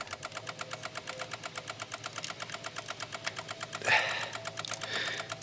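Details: 2016 Honda HR-V, no crank no start, brake on at key: rapid, continuous clicking about nine per second, relays chattering; settled once when the engine moved, cause not confirmed.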